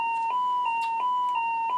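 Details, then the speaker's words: 1927 Utah Model 16 field-coil drum speaker after repairing its broken Litz wire cord: clean steady mid-pitched tone with faint regular ticks, no rattle or buzz; normal output. "and that's about as loud as you should hear it in a speaker in a field coal coil type speaker so"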